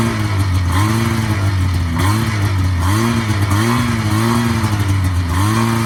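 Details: 1980 Yamaha SS440 Exciter snowmobile two-stroke, revived after sitting about 20 years, throttle still a little sticky; a crisp buzz rises and falls cleanly through repeated blips with no misfire, healthy and pulling well.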